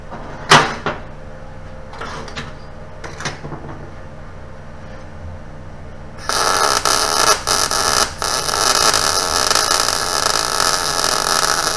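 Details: New Chinese eBay MIG 250 welder at about 17 volts and 75 wire speed on exhaust pipe and dirty metal; a steady frying crackle starts suddenly and holds even and unbroken for six seconds, giving a consistent puddle; normal MIG welding.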